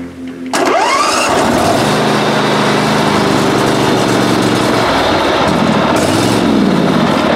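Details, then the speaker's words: Great Dane Super Surfer mower under restoration, deck removed: fires up into a fast steady run with a dry whirring rasp; the bearings in both flat idlers under the hydro pumps have gone and need replacing. "so that sound that sounds like uh bad bearing that is that's the flat idlers under underneath these uh pumps the um the bearings in those idlers have gone so I have to replace both of those"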